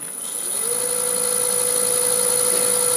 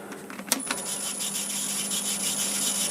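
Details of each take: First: Laguna 1836 VFD wood lathe after tightening the motor bolt and lift lever and seating the belt in its grooves: it spins up to a smooth, even hum with no belt squeak. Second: Laguna 1836 VFD-controlled wood lathe with high/low pulleys: a constant thin high-pitched belt squeal over the motor hum. Cleaning the belt helped only briefly; the cause is low belt tension, an easy fix.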